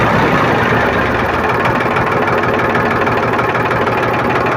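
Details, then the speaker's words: Powertrac tractor diesel after fuel pump drop timing set (one drop in 18 s, 15–20 s spec): steady even clatter at stated 500 rpm idle, no misses or stray knocks; normal diesel idle. "इसका ideal RPM है 500, और ideal RPM पे अभी ये tractor है।"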